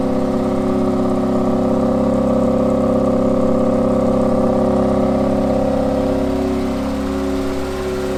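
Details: Ford Fiesta MK2 XR2 after new hydraulic lifters, valve stem oil seals and a K&N air filter: even, steady engine hum easing down as revs drop. The earlier rattling, tapping top-end noise is gone; runs smoothly.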